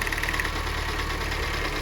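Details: Jeep Renegade after new spark plugs at 60–70,000 km: lumpy, uneven idle with irregular snaps and backfire-like pops, caused by spark leaking past the plug, which makes it misfire.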